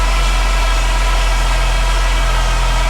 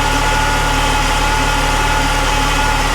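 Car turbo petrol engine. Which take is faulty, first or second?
first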